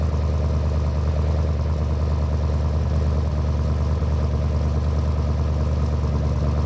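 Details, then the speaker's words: Twin-turbo V8 Land Cruiser after tuning, with the boost line reconnected; deep, even exhaust burble at idle, steady pulse with no misses; running far better on much less fuel, healthy. "Running far better with much less fuel. Yeah. Yeah, see, it's not obnoxiously loud, but you can definitely hear it. Yeah. No, it sounds good."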